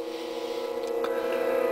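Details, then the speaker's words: Blonder Tongue Agile VHF TV modulator with a fluttering power light and a constant red audio light: steady electrical hum with stacked even tones under the audio; owner suspects aged electrolytic capacitors from long 24/7 service and plans a re-cap. "and I would wager because if you hear that hum I'm sorry that sounds like electrolytics"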